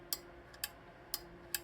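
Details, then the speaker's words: Stiebel Eltron 2.5-gallon electric water heater, thermostat contactor tightened after it worked loose, likely from tank heat expansion: four crisp clicks about half a second apart in a quiet room; the contactor is switching cleanly. "That's the contactor that turns the water heater on."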